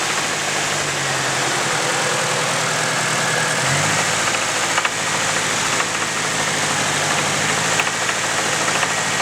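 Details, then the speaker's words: Nissan KA24DE at a steady idle with a quick, light knock at a constant rate; rod knock after oil starvation from an unnoticed high-pressure oil leak during hot-summer autocross runs. "Not that it matters though, because my engine is knocking."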